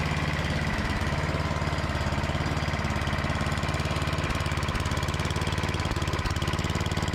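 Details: Craftsman MTD snowblower with Tecumseh engine, unused two years, after spraying brake cleaner into the carburetor bowl: small single-cylinder settles into a steady, even putter with no stumbling or surging; running cleanly.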